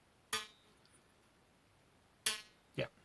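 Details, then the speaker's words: Hohner Arietta accordion (72 bass, 2-voice treble, 34 keys), restoration: a reed plucked after the tongue underside was rubbed with 400-grit gives three sharp, clear pings that die cleanly; the tongue swings freely. "you can hear how well it was pinging."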